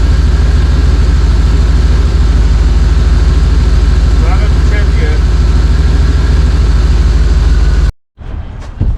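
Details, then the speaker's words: Chevy Suburban with junkyard GM TBI throttle body rebuilt using GP Sorensen 97-724 kit: loud low run with uneven beat, then cuts out and stalls; unstable idle and stalling, owner suspects vacuum problem or sensor. "that's not going to work it's rubbing up and down dying H"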